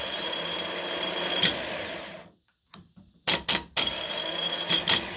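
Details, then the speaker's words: Starter motor from a 2013 Acura MDX, powered directly to simulate starting the car: even high-pitched motor whine spinning up steadily for two seconds, then cutting off cleanly; normal starter motor spin. "So, this what I'm just creating here, I'm just putting the power here, and yeah, like if you starting the car. So, when you start the car, this is what you're going to get."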